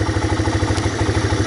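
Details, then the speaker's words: 1985 Honda Big Red ATC250ES three-wheeler, previously stalling at idle, after cleaning a clogged carburetor jet: warming up with choke off, the single-cylinder engine idles with an even, steady low thump and no misses. "So choke is off, it's idling away."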